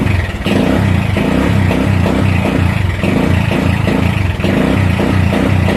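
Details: Motorcycle running with a steady beat but stumbling and popping about twice a second like rapid backfire, worse at idle and with headlight on; intermittent misfire from faulty regulator and flat battery.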